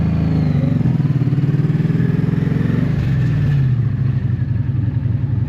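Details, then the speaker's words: 1984 Honda V65 Magna VF1100C V4: lumpy idle with an off-beat exhaust pulse that drops beats. Owner thinks it is running on two cylinders and assumes fuel is not the cause. He later wonders whether the float bowls get fuel, or whether the pickups or CDI are at fault. Misfire, unconfirmed. "so if we can safely assume it's not fuel look at this I think I'm running on two cylinders"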